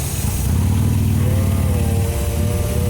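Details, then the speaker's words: Ford van rough idle with a faint wavering whistle/hissing: a loose part fell and was hitting against the fan, opening a vacuum leak; needs repair. "But it's making a hissing sound. And what happened is what we see, we take this off. You see right here? There's a vacuum leak right here. And what happened is this thing was hitting against the fan"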